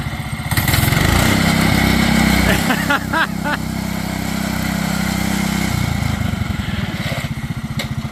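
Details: MaXpeedingrods 7HP 212cc engine with centrifugal clutch repowering a John Deere 110, driving in fourth gear: steady thump, pitch rising and falling with throttle and load, no misses or knocks; healthy engine pulling well.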